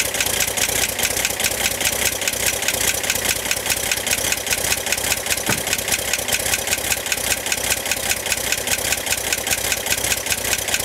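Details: 1965 Corvair engine at idle: bright, even metallic ticking, over twice a second, from the top of the engine near the fan; began 2–3 weeks ago and grew louder; tightening fan belt reduced it only slightly; cause not yet found.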